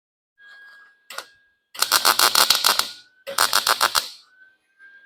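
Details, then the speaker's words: Lincoln 140 Pro MIG, 110 V, wire speed set at 6 (chart 5.5–7), drive chatter gone, liner not yet blown out: choppy uneven crackle about three or four pops a second instead of a smooth sizzle; wire feed speed still too high. "I can still feel it's feeling fast"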